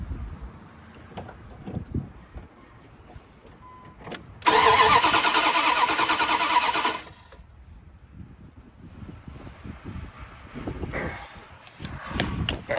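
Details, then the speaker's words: 2001 Dodge Dakota 5.9 L, crank-no-start after customer's DIY water pump; spark tester at the coil shows still no spark; about two and a half seconds of steady cranking that never catches; no fire. "Still no spark in there."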